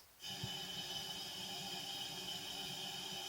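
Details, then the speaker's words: 2001 Dodge Caravan 3.3 engine, cylinder 3 misfire, air leak-down test, engine off; steady hiss of shop air out the tailpipe with exhaust valve open; normal, though air also escaped the intake valve. "You can really feel the air coming out the exhaust when the exhaust valve is open."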